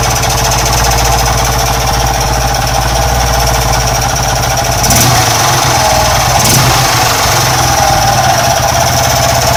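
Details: Honda Wave 110cc motorcycle engine idling with a harsh, clattery, rough noise from a worn cylinder, piston and crankshaft, needing an overhaul.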